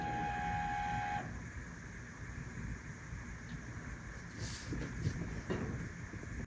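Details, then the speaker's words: Apple Power Mac G4 Cube slot-load optical drive: short tone, then strained whirring and scraping as it labours and fails to pull the restore disc fully in; drive is failing. "I don't think it pulled the disc all the way in okay that's not a good sign so now I'm gonna have to fish the disc out"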